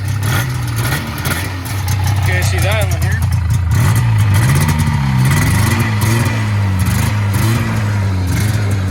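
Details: 1980 Yamaha SS440 Exciter snowmobile two-stroke, revived after sitting about 20 years, fuel primed after a cracked fuel line, throttle still a little sticky; it fires and holds a rough, busy beat, pitch swinging with the throttle and pulling cleanly, running healthy.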